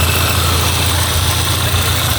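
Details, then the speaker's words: Peugeot 206 engine idling at 85°C, cooling fan on low speed (high speed due at 90°C): deep steady idle rumble with even fan whoosh, no knocks or surging; engine and radiator fan normal. "Kerja motor Fan juga normal di suhu berapa? 85. 85. Yang low speed-nya bekerja, high speed-nya nanti setelah panas di suhu 90 bekerja."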